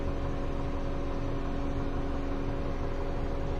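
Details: 2011 Mini Cooper S idling with an uneven, stumbling beat of roughly three to four pulses a second as one cylinder drops out; misfire traced to a faulty ignition coil.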